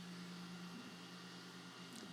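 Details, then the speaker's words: Creality Falcon A1 enclosed 10W laser engraver running almost silently while the rear exhaust ventilation fan gives a steady, even hum; normal quiet operation, the fan being the only noise. "it's dead quiet as it operates unless you've got a massive fan at the back like I do that's going to be the only noise created if you're going to be using just this machine with the ventilator that's at the back"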